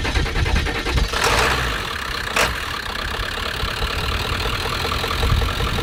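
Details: 2002 Ford F350 7.3 Powerstroke diesel, 4x4, about 410,000 miles, batteries charged about an hour: even, steady cranking beat with no uneven strokes, then it catches and settles into a steady clatter; compression sounds balanced.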